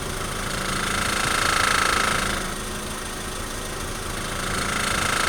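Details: 2003 Honda Civic EX makes a steady light rattle, about three or four beats a second, when slowly accelerating or decelerating at very low RPM under light throttle.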